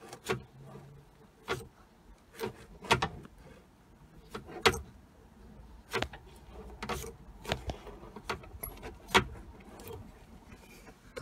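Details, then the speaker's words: Jaguar X-Type front suspension rocked with the anti-roll bar drop link off, bushes fairly new: irregular sharp creaks and clicks every few seconds; dry anti-roll bar bushes needing re-greasing in the bar hole and link. "creek is in the creek is basically i need to take those back off and re-grease the inside of the hole and the roll bar link"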